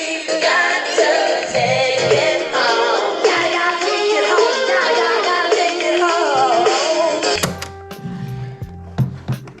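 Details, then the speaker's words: Sony CFM-2300 cassette player after replacing 40-year-old drive belts with rubber bands and adjusting motor speed potentiometer: music plays at steady pitch without wavering or drag, then mechanism clicks to stop; tape playback normal. "Test the tape now one last time. Now that it's all put back together properly."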